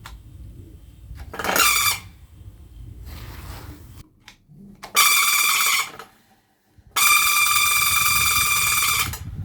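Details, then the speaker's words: Desk fan switched on: three loud high horn-like squeaks at start-up, each longer. Owner suspects a broken gear in the gearbox. "Can you hear that? There is a huge squeak sound. I don't know where this is coming from, but we're gonna dive in together and see how we can solve it."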